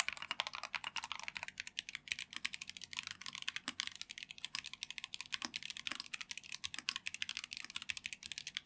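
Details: Typing test of a Tecware Phantom+ RGB mechanical keyboard with Rage Orange switches (tactile, brown-like, 45g actuation): fast, even clacks, soft and muted without hollow ring; normal, well-dampened keystroke sound.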